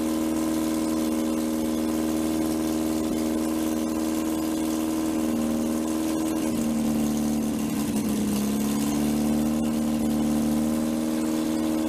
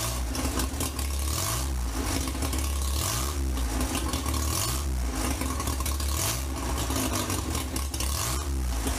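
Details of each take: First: 1947 MG TC XPAG engine on a stand, first run in about 40 years with untuned carburetors, a leaking fuel line, no cooling water and 50 psi oil pressure: steady idle held slightly high, sagging briefly mid-clip then recovering. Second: 1947 MG TC XPAG four-cylinder, running on a stand after about 40 years lying on its side, with a temporary radiator and exhaust pipe and untested carburettors: even idle, steady low beat, light valve chatter, no misses; may need fine tuning but normal idle.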